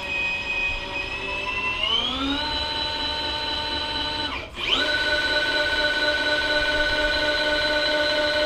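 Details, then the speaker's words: Webb 3VH milling machine power knee feed: smooth gear-motor whine rising in pitch, dipping briefly, then holding a clean steady tone with no grinding. Feed running normally. "One of the things is these handles here show one other thing about this mill is the pride and joy that I have of it. To get down here on it is the power knee."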